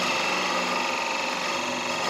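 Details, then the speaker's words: Turning an end grain Irish Elm bowl with a gouge: smooth, steady hiss with no chatter or catches as the bevel keeps rubbing through the up-and-down cut, a clean bevel-supported cut. "i don't know if you can hear that enough but the bevel is rubbing there bevel's still rubbing bevel's still rubbing"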